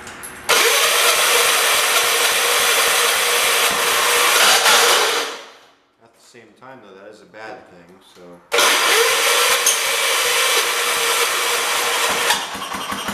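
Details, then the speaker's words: Small single-cylinder engine on a John Deere 212 tractor, run choked at low throttle while sorting fuel delivery; steady even beat, cuts out briefly then picks up again, no knocks; sounds healthy. "man no knocks no nothing that sounds good but I was running that choked no yeah choked and low throw man that engine sounds great"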